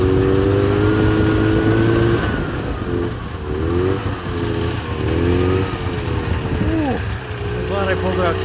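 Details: Subaru 360 two-stroke van, first start after long storage with battery charged, good compression and working fuel pump, gas pedal not connected: buzzy two-stroke picks up and falls away as throttle is worked by hand, running unevenly but keeping going.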